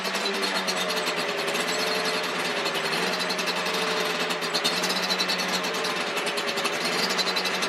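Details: Yamaha Banshee 350cc two-stroke twin, rebuild project, first proper startup: busy buzzy rattle with a slightly uneven ragged beat, running a bit rough. Smoking from the front; owner suspects an exhaust leak.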